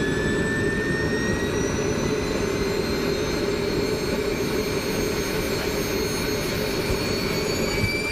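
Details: SWIWIN SW220B micro turbine on test stand, second run after adjustments: steady roar with thin high whine creeping upward, running evenly at almost 38,000 rpm idle with about 2.5-2.6 lb idle thrust; normal idle.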